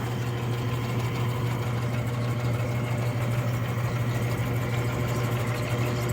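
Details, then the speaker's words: Freshly rebuilt Clipper Super 47B grain cleaner: even steady low hum of fan and drive, no knocks, rattles or growling; normal running. "the motor hums right along I don't hear any growling or any irregular noises just an all round beautiful machine"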